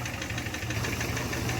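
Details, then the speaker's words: Rebuilt 2015 Camaro SS with replacement 6.2L V8 at first start after engine swap: quick light ticking over idle, suspected lifter tick until oil pressure builds, getting quieter as it runs. "It's got to build oil pressure, so it's probably lifter tick that you hear, but that tick's gonna eventually go away."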